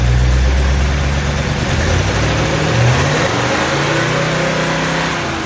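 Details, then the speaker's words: 1970 Chevelle SS 454 big-block Chevy with solid lifters and Comp Cam, restarted to finish break-in after about 15 minutes' running; deep V8 rumble holding a steady, even beat as revs settle, no knocks, misses or rattles; healthy engine start. "all right we got a crack of beer oh that sounded good we're toasting a a successful engine start"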